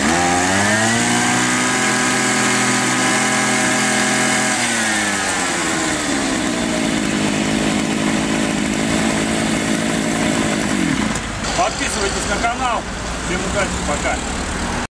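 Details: Small two-stroke grass trimmer after replacing the ignition module and adjusting its gap to the flywheel magnet: high, buzzy revs, drops back, then holds a steady speed; starts and runs properly; normal running after repair.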